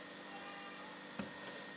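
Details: Sharp refrigerator during freon charging: soft, steady hiss of refrigerant flowing evenly with one small click, heard at the evaporator; the capillary passes gas freely, not blocked, and the condenser warms.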